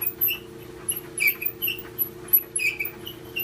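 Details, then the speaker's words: GE dryer: high, thin squeaks chirp about once a second over a low motor hum as the drum turns; owner first suspected the idler pulley needing lubrication, but the little drum guides (glides) are likely worn. "I thought initially the idler pulley needed some wd-40 that may be true but there are also some little guides that the dryer"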